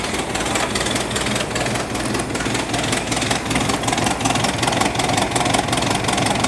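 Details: 1986 Ford F-150 running after a carburetor swap in cold, snowy weather. The idle is uneven and lumpy, with irregular pulses about two or three per second, and it stumbles. The carb needs adjustment; the owner suspects the original fault was fuel delivery from the tank.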